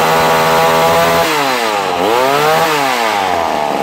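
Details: Vintage McCulloch Mac 110 chainsaw, 2.0 CID two-stroke, being restored after being found in water at a dump: a loud, crisp buzz that climbs and falls smoothly with throttle and revs clean and even. It is running normally.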